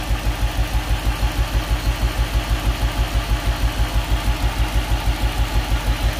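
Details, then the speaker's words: Nissan D40 Navara with freshly swapped VK45DE V8, first start, fuel system possibly still holding air, idling about 500 rpm: lopsided thump about three per second, one cylinder down; later found dirty contact. "hey i think we still got one not quite right yeah it feels like one down"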